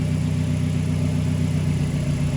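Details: Turbo Mazda engine idling after timing chain work, high pressure fuel pump now plugged in: smooth, even low idle hum with no ticks, rattles or chain slap; running cleanly, sounds better.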